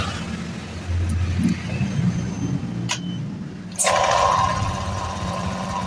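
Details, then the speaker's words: Honda Vario 125 KZR that died when throttled: brief cranking catches, then a clean rise in revs that holds without stumbling; weak part identified, now starts and revs normally. "Oke, sekarang dia mau ya. Sekarang mau hidup dan digas juga sekarang mau dia ya."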